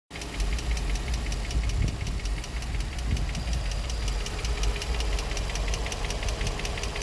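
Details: Nissan G35 V6 at idle, 109k miles, no check engine light, new cats, regular oil changes: rapid even metallic ticking about six a second over a low rumble, louder on one bank; owner unsure whether lifters or spark plugs.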